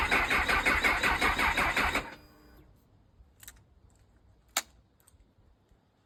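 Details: Honda CB1000R with Dynojet system, owner's phone clip after collection: about two seconds of quick, regular starter cranking, then silence without catching; no-start.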